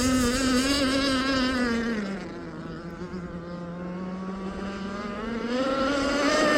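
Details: Aeromarine Avenger 44 RC boat, Zenoah 29cc two-stroke with steel Gizmo pipe and ABC prop, running at high RPM in about 12 mph wind: note sags and stumbles briefly then recovers; intermittent sputter, cause unknown.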